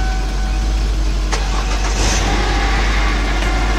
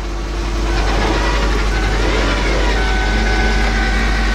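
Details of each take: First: 2001 Lincoln LS 3.0 after main fuel pump replacement, started on jumper cables after dead battery: starter cranks briefly, engine catches and settles into steady, even idle without misses or knocks; normal start and idle. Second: 2001 Lincoln LS 3.0 just started on jumper cables after fuel pump replacement: thin steady whine over the idle rumble; owner suspects power steering pump, maybe low power steering fluid, not confirmed. Whine at idle.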